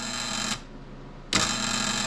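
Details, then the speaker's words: Late-1970s Rockwell/Beaver bandsaw motor on first test after wiring in a cord: steady, even hum with a clean whine and a brief dip back to full speed, no rubbing, knocking or tripped breaker. Normal motor running. "which actually sounds good"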